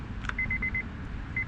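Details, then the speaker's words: Honda key-in-ignition warning chime with door open, door switch test before replacement: rapid high beeps, about eight a second, in two bursts; normal chime that should stop when the door switch is pressed. "So to test this, we can put the key in the ignition and you'll hear that beep. You can push on this and that beep should turn off."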